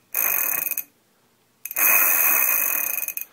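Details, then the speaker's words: Tidalforce S-750 e-bike stock freewheel/cassette spun by hand: a harsh, high buzzing rattle fading as each spin slows, far louder than a Shimano replacement; bearings likely badly worn. "it's Extremely Loud and the bearings probably are about as bad as they can get"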